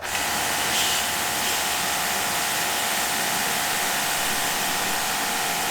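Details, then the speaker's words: Kranzle K7/122 pressure washer after full rebuild (new switch, seals, plastics, sight glass, oil), trigger held open: steady high water hiss over an even motor hum, no pulsing or surging. Working normally under pressure. "So I don't need to do anything, it's working perfectly."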